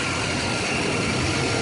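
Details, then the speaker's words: Chevy Vortec with P0171/P0174 lean codes on both banks: long cranking, then steady idle with slight unevenness; fuel pressure fluctuates around 28–30 PSI, 20 PSI low, so a lazy fuel pump is suspected. Idle with low fuel pressure. "Um, so here's the reason why I can tell you this is a fuel pump, lazy fuel pump. We're going to start the engine. And you can hear it's a lazy pump right now cuz it's cranking and cranking."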